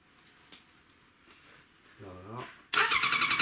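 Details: 1100 engine's first start attempt, starter jumped directly with a flap heard clicking: after a quiet spell, a sharp burst of starter cranking pulsing about four times a second; the engine turns but does not catch.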